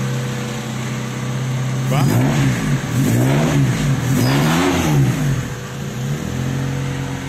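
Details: Honda Civic race car, crank-no-start fixed by restoring a broken ECU ground: a clean, stable idle blipped through several quick revs, the pitch rising and falling smoothly and settling back steady, so it revs normally.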